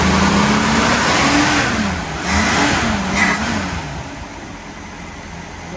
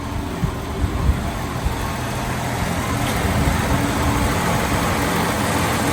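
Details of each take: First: 1965 Ford Mustang six-cylinder, first drive after 10+ years parked: engine picks up briefly when throttle opens, then sags and falls on its face; accelerator pump shot coming in too late, causing off-idle hesitation. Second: 1965 Ford Mustang, six-cylinder (thought to be a 200), first drive after 10+ years garage-parked: even, steady low idle with no misses or knocks; burns a little oil and smokes slightly, accelerator pump comes in late and stumbles; normal idle.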